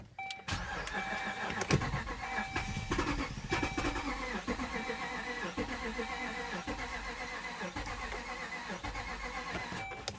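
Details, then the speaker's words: Jeep with weak battery, after remote start attempt: starter churns steadily about ten seconds with even cranking rhythm but engine never catches; cranks but won't start, cause not confirmed. "that's what I get. It wants to, but it won't."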